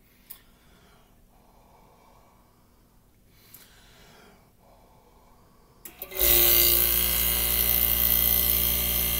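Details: 1965 Fedders Weather Wheel air conditioner (AJM 15-94) under restoration, thermostat tricked to call for cooling: a couple of clicks, then the compressor thumps on into a steady even hum and refrigerant rush, a normal compressor start.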